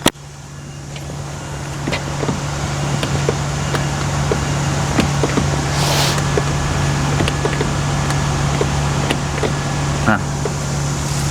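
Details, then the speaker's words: Classic car window stuck after customer used it at a toll: steady low regulator motor hum with faint ticking about four times a second but glass doesn't move; failed window regulator. "Bunyi kan? Tapi kenapa yang ni tak gerak? Cermin tak gerak."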